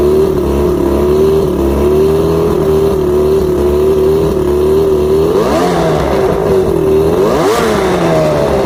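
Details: Outboard after plugs checked, fuel pump and carbs rebuilt, trigger loosened, spark confirmed on all cylinders: idle with a thin, steady squeaky chirp on top, then two short throttle blips; rough running, cause unknown.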